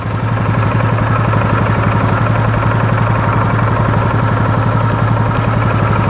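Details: 2015 Polaris Sportsman 570 EFI, left outside for years and long unrun, idling in the shop: a steady, fast, even single-cylinder thump with no knocks or misses, with maybe slight smoke. The charging system is checked at idle and reads good.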